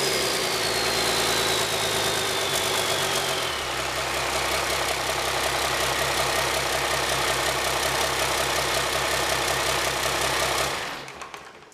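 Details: High-mileage (about a million km) 5.9 Cummins 12-valve diesel with P7100 P-pump, cold start after bleeding injector lines, half throttle: revs settle into steady, even diesel clatter, then shutdown; normal idle.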